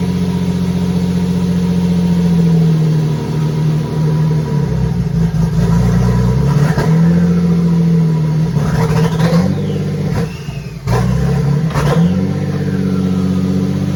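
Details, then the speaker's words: RWD Mini with V6 bi-turbo swap, cold shack at 4.5°C, mini OBD2 dash fitted, 15 V charging: after start it holds a steady raised idle with slight hunting; owner suspects an air leak, not confirmed. "That's revving quite high, isn't it? We might have some air leak somewhere. I wouldn't be surprised."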